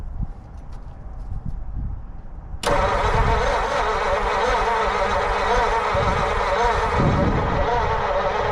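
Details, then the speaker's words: 1940 Mercury Eight V8 stored since the 1970s, cranking on the last of the fuel with a loud, steady churn but no catch. Spark is confirmed. A valve on cylinder 3 is not sealing and other valves may not be either, so a compression test and head removal are planned. "Well, shoot. Would have been cool to hear it fire for a second. Just don't think I'm going to get it to happen."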